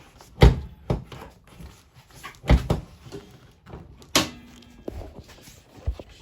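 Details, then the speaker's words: 2003 Mazda Protege 5 2.0 ES, body rocked by hand: irregular heavy loose metallic clunks up front from a worn sway bar end link with torn boot and sloppy ball joint; replace in pairs. "So you hear that noise? If you have that noise while you're driving, it's more than likely your sway bar end link."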